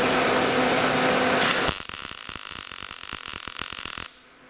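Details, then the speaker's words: Gas-shielded short-circuit MIG welding with wire speed set way too slow for the voltage: arc crackles with uneven pops about three a second instead of a steady sizzle; wire feed too slow. "Okay, so to start off with, that's too slow. So your wire speed's way too slow. If it sounds like that, we'll turn it up just a little bit."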